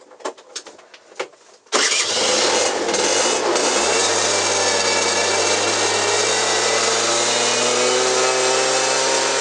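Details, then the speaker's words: Peugeot Speedfight two-stroke moped that sped up and slowed down while riding, after variator rollers and clutch repair: smooth rising buzz, pitch climbing steadily as belt drive changes ratio; normal running. "can you hear that like hyperdrive well you can hear it now changing gear do you hear that"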